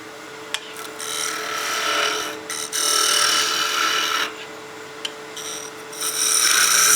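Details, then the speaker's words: Wood lathe turning a spinning top with a half-inch spindle gouge, far out from the chuck at a large diameter: buzzing, ringing chatter because the cut is too aggressive for the support, and the tip runs slightly out of true. "That's just a little bit too aggressive of a cut for the support that we have this far out of our chuck and this size of diameter."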